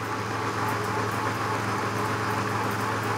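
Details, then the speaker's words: Lathe making a light interrupted cut with Lube-Tap cutting fluid brushed on: steady even cutting hum with faint regular tick, sounding much smoother with fluid. "that sounds a lot better just having a little bit on there"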